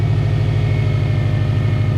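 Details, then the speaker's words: EJ20 engine in a caged 1995 Subaru Impreza L track car with a newly hooked-up harness, in neutral, fans running: steady, even low idle with no misses, knocks or ticks; normal idle. "I'm pleased, I'm happy. I don't gotta push this thing onto wherever I gotta push it onto. Sounds healthy."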